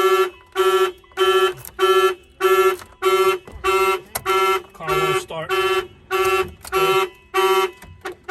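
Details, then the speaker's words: Mitsubishi Evolution 8 with a newly installed aftermarket alarm (Avatar 3100 remote, starter kill): loud repeating siren bursts at about 100 a minute with short gaps, tripped by opening the door. The car won't start. "Of course, if they open the door, the alarm will trip. The car won't start."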